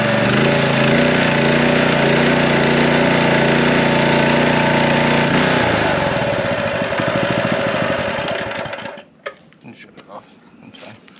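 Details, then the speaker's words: Honda power washer engine that hadn't run in a long time, started on fresh gas with choke on and throttle mid: fast, even putter holding steady speed, then switched off and coasting to a stop; runs great. "yeah well it runs great guys so let's go ahead and take the pump off this thing and see what we're going to have to do to convert it over"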